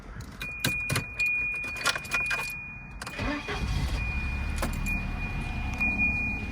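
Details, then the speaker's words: 1990 Volvo 240 DL, well-kept car started with its original key: key rattle, short crank, catches promptly and settles into an even, quiet idle; starts exactly as it always has, a normal start. "and you can hear it just fires up and foreign exactly the same as it always has"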